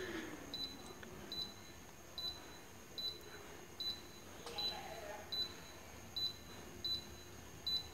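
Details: Daikin R32 air conditioner that intermittently stops without reporting errors, remote self-diagnosis scan: short double chirps about once a second as each code is stepped through, with no long error tone; no stored fault found.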